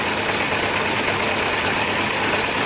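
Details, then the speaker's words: Yamaha Diversion, possibly a 600 (about 1998), that wouldn't start: steady but ragged idle with uneven exhaust beat after draining fuel, seemingly running on only some cylinders; carb keeps flooding one cylinder whenever the fuel pump is connected. "Sounds like it's running better now that I took some of the fuel away."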